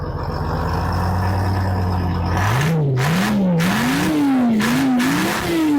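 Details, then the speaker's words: Detroit Diesel 6V53 two-stroke in an American LaFrance 700 Series fire engine, after tuning, servicing and new fuel lines: smooth steady idle, then clean free revs rising and falling evenly with no misses or knocks; healthy. "Gotta love that sound. Good old Detroit. 6V53."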